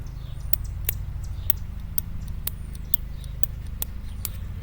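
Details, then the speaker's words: Car with a 235 cid engine that cranks but won't start: with the coil powered, a screwdriver touched to the points spring throws sharp snapping sparks, about three a second, over a low hum. Coil is good up to the points; the points make no contact. "I don't know if you can hear that clicking you see it right here the spark so that tells me I'm good to the points"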